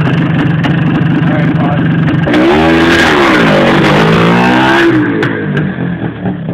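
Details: Yamaha DT400 two-stroke: rattly blips up and settles to ragged idle with a dry clatter underneath; owner suspects piston slap and lean running, unconfirmed.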